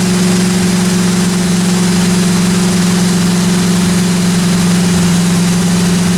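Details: 1957 Chevy 210 project, new cam break-in run about 20 minutes: steady even idle with smooth low hum, no valvetrain ticking or knocking; normal idle.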